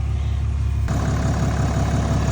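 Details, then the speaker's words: Dodge Cummins diesel just after a FASS Titanium Signature Series fuel system install. Smooth, steady diesel clatter at a settled idle with no misses or knocks: normal idle. "Man, you hear that pretty sound? That Cummins sounding good."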